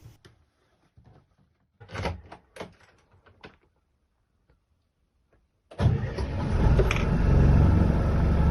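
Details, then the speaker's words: 1997 steel fishing boat diesel, sitting 5 years, new 180 Ah batteries, fuel filter changed and fuel system bled, old oil still in: few clicks and clunks, then catches instantly first attempt and settles into strong steady run; normal start. "It started like a dream. It started immediately, at the first attempt."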